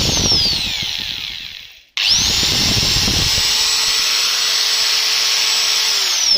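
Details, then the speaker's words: Angle grinder after re-greasing the gearbox, run with no load: it spins down, restarts and climbs to a smooth, steady high whine as the oil distributes; normal no-load run. "Well, when you are already thoroughly now we just run it, listen, the engine begins to accelerate, that is, the oil is distributed to the right places"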